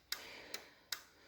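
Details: BMW R60/5 during restoration, ignition on, new handlebar turn-signal switch worked right then left after rewiring: crisp, even flasher relay clicks about two and a half per second in a quiet room; normal flasher operation.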